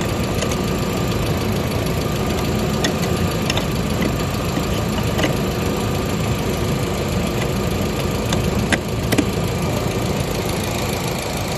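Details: 1999 VW Passat 1.8T petrol estate after re-soldering the main relay: steady, even idle with light regular tick-over, no misses or stumbles; no-start fixed.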